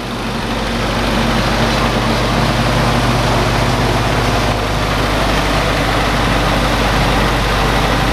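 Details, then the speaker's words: Willys CJ2a L134 Go Devil flathead after new copper head gasket, about 25 minutes running, burning a little oil: steady even idle with soft valve-train tick, no misfire or heavy vibration; normal idle. "but she's not really vibrating real bad nice she's running pretty smooth so besides that little bit of oil she's running like a champ"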